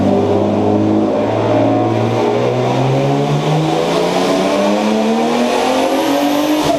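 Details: BMW E30 with turbocharged M50B25 six-cylinder revving hard under acceleration; note turns ragged and stuttering, a misfire under load.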